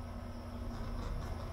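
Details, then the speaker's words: UHER 4000 L/S reel-to-reel tape recorder drive motor with the back panel off and power applied: steady low electrical hum, no whir of the motor coming up to speed; powered but stalled, dead drive motor, to be replaced. "you see, it's trying to spin, but it's not. So let's turn it off. So that's this model is dead."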